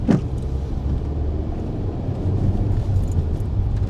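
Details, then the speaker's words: Alfa Romeo MiTo QV 1.4 TB petrol, warm, winter test drive after timing belt replacement: engine note builds smoothly and evenly under load, no knocks, misses or stumbles; pulls normally. "Well, that's it. The car worked great. The timing belt replacement went smoothly."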